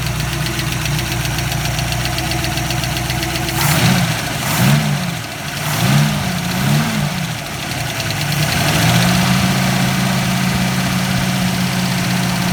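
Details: Ford 302 V8: light rapid ticking over the idle that keeps pace through quick throttle blips; noisy lifter suspected, not confirmed.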